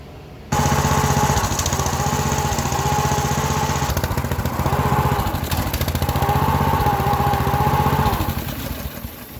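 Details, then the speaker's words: Honda GX small engine that starts hard and runs rough, brake clean sprayed around the carburetor-to-head gaskets and plastic plate: single cylinder chugs unevenly, stumbles and dies; a vacuum leak at that mating surface. "So you see that? It got so bad there that it would run, idle very rough, but then as soon as I sprayed in that area, it died."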